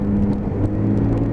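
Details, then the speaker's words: Lexmoto Titan motorcycle at about 9-10k miles, road-tested for a fuel issue: engine pulls cleanly and evenly under a handful of throttle, steady tone with no hiccups over road noise; normal acceleration. "it's running along absolutely perfect it's not hiccuping or doing anything it's got give it a handful of throttle there's loads of power there"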